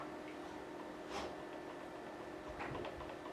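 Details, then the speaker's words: Squier Classic Vibe Telecaster on a perfectly level neck: faint irregular ticks as the fret rocker rocks on three high frets (10th, 5th, 3rd) that need levelling; owner had been told fret buzz could not be cured. "I've been across with the Fret rocker again and like I said there were three Frets needed um got a little bit of rock on there needed leveling"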